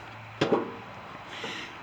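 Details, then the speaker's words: John Deere LX172 with a 17 hp Kawasaki, new solenoid and battery: a single sharp starter click, then silence with no cranking. An intermittent no-start, with the neutral safety switch suspected as the likely culprit. "So when you have those intermittent starting problems and that starter goes bing, just like this one,"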